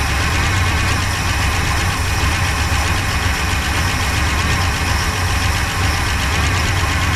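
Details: 1966 Pontiac Grand Prix, 389 CI, automatic, barn find unused about 30 years, first start on slight throttle with little fuel: loud, slightly uneven lumpy idle with clatter, runs rough with chewed spark plug wires; fuel pump not pulling.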